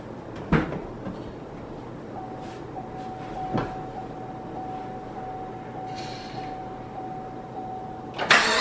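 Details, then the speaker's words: 2017 Chevy SS LS V8, about 7,000 miles, first startup after cam swap: engine catches then a steady thin belt squeal at one pitch for about six seconds over idle; slipping belt suspected. "girls like a little bit of water on the belts that squeak would go away"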